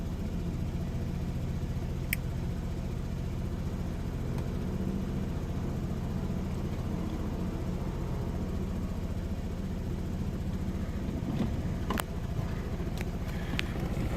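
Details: 2007 Saab 9-3 2.0T, B207R engine: low, uneven rough idle with irregular pulse and occasional stumbles on every start, began intermittently; turbo vacuum hoses redone, solenoids, EVAP control and MAF cleaned, battery and spark plugs replaced, cause still unknown.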